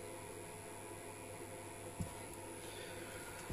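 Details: E-bike battery charger (Bosch battery) running from a campervan lithium leisure battery through a modified sine wave inverter: steady low electrical buzz with faint hiss, chargers being noisier on modified sine.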